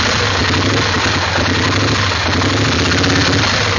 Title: 850 rough idle